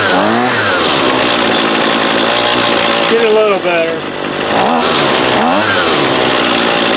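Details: Husqvarna 128LD 28cc trimmer, warmed up with the line fully extended for load, that won't idle: a high buzz whose pitch sags and surges during low-side (left screw) carb adjustment; engine hesitation.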